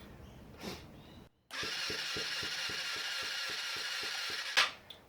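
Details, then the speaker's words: Yamaha FZX250 Zeal compression test, throttle closed: about twelve even cranking pulses in three seconds under high starter whir, weak soft strokes; less than ideal. Low compression. "That's less than ideal. Going up. You probably get a bit more if I um open the throttle, but I didn't."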